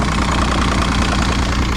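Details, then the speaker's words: 2006 Evinrude 90 E-TEC outboard after fuel pump work; steady even low idle with regular pulsing beat, no misses or knocks; no active faults, engine temperature about 140-150, good battery voltage. "It's good. No active faults. Temperature is about right."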